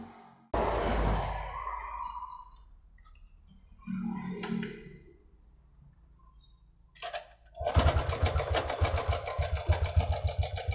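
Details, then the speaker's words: Honda Supra X 125 motorcycle idling: harsh, uneven mechanical clatter from the cam chain side, worse at idle and partly fading when revved; suspected loose cam chain. "Hai stasioner malah lebih parah suaranya kalau kita dengar langsung di motornya itu kelihatannya dibagian sebelah rantai keteng ya"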